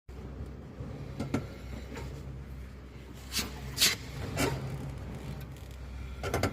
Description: But in this video it's the CV shaft rubbing against the mounting of lower control arms.